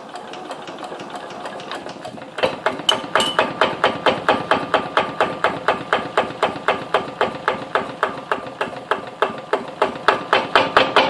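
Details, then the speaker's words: Kubota 508cc stationary diesel engine at cold start and low throttle, sitting on a concrete floor with no isolation: a sharp, regular clatter about twice a second. The engine is chattering against the concrete; owner plans to put rubber underneath. "so so really doesn't like that concrete you can hear chatter i'm gonna put some some rubber stuff underneath it so it doesn't chatter"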